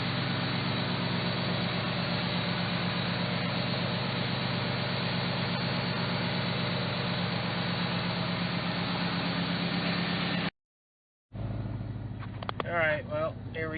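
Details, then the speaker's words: Factory Five XTF truck on a new tune, engine warmed up: steady, solid exhaust drone while pulling away, with none of the buzz or rattle it previously made at this point. "used to Rattle right in here remember it's pulling out I even mentioned in one of the other videos it was rattling um it's not doing that now thankfully"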